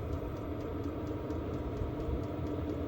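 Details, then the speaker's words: Diesel parking heater for a campervan, fuel primed from a can of diesel, running through startup on 12 V: steady low rumbling roar with a faint regular tick about four times a second from the fuel pump; burning evenly. "Once primed, we can switch on the heater and it will run through its startup phase. The ticking you can hear is the fuel pump."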